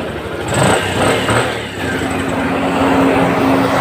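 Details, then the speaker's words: Bajaj CT 100 motorcycle that wouldn't start, after refitting the pulser whose screw had fallen out, old CDI kept: engine now runs and revs smoothly with even exhaust note, no missed beats. "so Ayan na nga mga boss Okay na siya Yun lang ginalaw natin yung kanyang pulser nalaglag yung kanyang turnilyo so hindi tayo nagpalit ng cdi"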